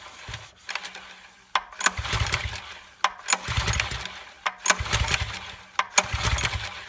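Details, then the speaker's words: New Subaru SP-170 5.7HP small engine, first start, fuel on, choke and a little throttle: five rope pulls, each quick whirring spin with no firing; ignition switch left off. "oh and i'm silly cause geez i fell for it you got to turn it on for it to start don't you i smell the gas i'm like what's going on here"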